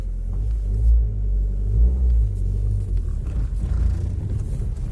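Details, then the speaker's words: Geely CK on the move, after a fix that reduced body vibration: a deep, steady cabin rumble with no sharp knocks or whine, some hum remaining. Low drone attributed to a worn engine mount; rear mount still to be replaced. "есть какие-то отголоски но я еще поменяю заднюю подушку и тогда будет по другому но уже такого нету какой-то гул еще есть"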